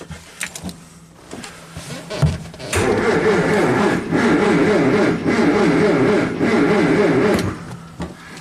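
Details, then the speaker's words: 1963 Triumph TR4 after 10 years in storage, first start attempt with clutch pushed in while checking for spark: about five seconds of uneven, labouring starter cranking, roughly two beats a second, with no firing; it cranks but won't start. "not sure if there was a spark it kind of cranks so promising I guess"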